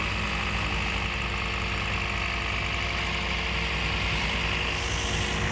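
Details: Toyota Yaris with a misfiring engine caused by a dead ignition coil, after replacing all spark plugs and coils 1, 2 and 4. Smooth, even idle with a steady low rumble and no stumble or missed beats: normal idle.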